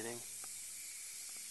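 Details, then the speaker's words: Zenith 25MC36 TV with solid-state high voltage rectifier substituted for the tube: sharp steady sizzling corona hiss on power-up, glowing blue; high voltage too high or regulation not working. "It's all glowing blue. It appears the high voltage is much higher with the solid state rectifier, or the high voltage regulation's not working."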